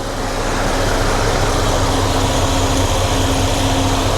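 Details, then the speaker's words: 1993 GMC Sierra C1500 with new Delta Current Control driving a 2-speed 1994 Ford Taurus cooling fan, AC switched on: even steady rush of air over the running engine, no rattle or surging, wiring not heating up. Normal low-speed fan operation. "All right. So, that's that's the low speed. Nothing is uh heating up."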